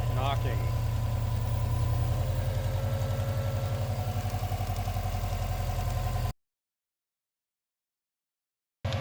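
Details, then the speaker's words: Non-AVCS JDM Subaru EJ205 after timing belt and water pump replacement, with exhaust smoke and low compression on one cylinder: steady idle with a light metallic tick about four per second, quieter than before; owner suspects a pulley hitting something. "It's knocking much quieter. You can still hear it, but like, man, does that mean it's just a pulley that's hitting something?"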